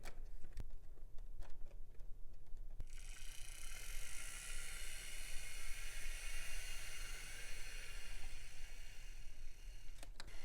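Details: Serviced 1950s Olympic Express HO B&O GP7 diesel, formerly seized motor freed and oiled, wheels cleaned, pulling a train: a few rail clicks, then a faint steady motor whir with no binding; runs normally.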